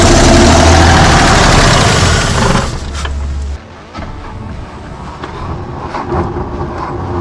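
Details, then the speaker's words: 1981 Toyota Land Cruiser FJ60 parts truck with a sketchy gas tank, sprayed with starting fluid: a loud, rough burst of running that fades and dies within three seconds. It catches on starting fluid but won't keep running on fuel. "we're gonna see if we can get her to idle and not run on starting fluid now"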